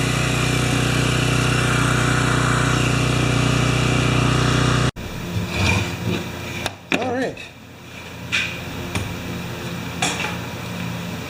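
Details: Makita G2400R generator with a non-OEM replacement carburetor running a saw in a load test, saw drawing about 5.7 A unloaded and 13 A triggered; loud steady drone with the saw's whirr for five seconds, then clicks as it stops; normal running under load.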